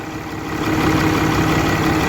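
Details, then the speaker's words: 2013 Ram 3500 Cummins diesel after cylinder head replacement (driver overheated it, valves blued): steady, even drone at high idle, no misses or knocks, no pressure in cooling system; small oil leak noted, oil full; runs healthy. "but she's running all right so other than that little oil leak it's got but the oil is full so not worried about it right now all cleared up no pressure even under high idle no"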